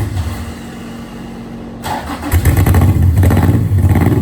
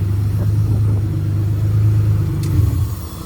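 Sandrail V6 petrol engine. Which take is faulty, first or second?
first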